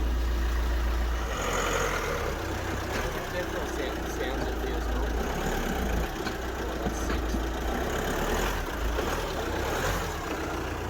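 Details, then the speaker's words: VW Amarok diesel idling after cracked cylinder head replacement, no dash warning lights: quiet, even idle with low steady rumble, no knocks or misses; normal idle, sounds like it's running fine. "it sounds like it's running fine Maybe drive it and see what happens I guess it blows up"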